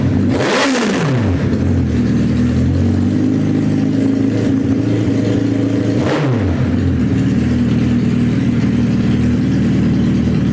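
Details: Suzuki Hayabusa GSX1300R after a wreck, newly fitted main fuel injectors, no exhaust: loud harsh open-pipe roar holding steady between two sharp blips, firing evenly with no dropouts on all cylinders.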